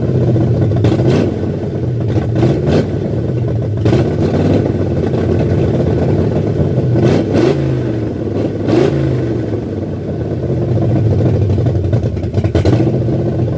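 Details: 1978 Ford F100 V8 with new Comp Cams cam, first start: uneven loping idle with choppy rhythmic lope and occasional blips, healthy and running as it should.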